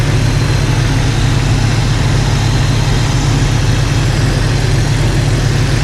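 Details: Jeep Cherokee XJ idling after swapping in refurbished 4-hole injectors to replace cracked ones, no fuel leaks; steady even low rumble with no misses, ticks or knocks, idles nicer and quieter.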